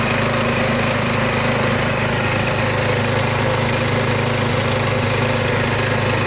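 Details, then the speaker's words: Warmed-up small engine, started with choke, oil checked fairly clean: steady even putter, constant low note, no knocks or surging; it smooths out and runs really good, slight smoke at first start; normal idle. "It smooths out. Runs good. Runs really good. Sounds good."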